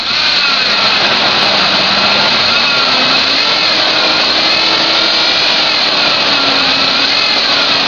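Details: Ford Ranger petrol engine at steady idle, with a smooth hiss and no belt squeal or chirp, after a pea-size dab of belt dressing was rubbed onto the serpentine belt.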